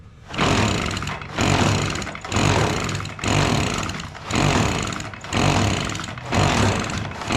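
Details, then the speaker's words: Echo PB-265L two-stroke backpack blower running after a new spark plug: engine surges up and down about once a second, not holding speed; abnormal, owner wonders about a sheared flywheel key. "well uhoh something just happened did you hear that weird noise that thing made a strange noise didn't it"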